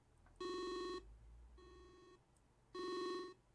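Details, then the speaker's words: Speakers under the monitor pick up high-power nRF24L01 Arduino radio module transmissions when the antenna is held near, receiver unplugged: hard electronic buzz bursts about half a second long, repeating unevenly; radio interference buzz. "What that is my ever speakers under the monitor here. And when I hold the antenna there, you can hear the speakers receiving that radio signal."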